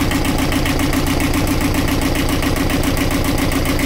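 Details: Universal 5411 diesel at idle after being started by releasing the decompression lever: steady, even clatter with regular pulses and no knocks, misses or hunting.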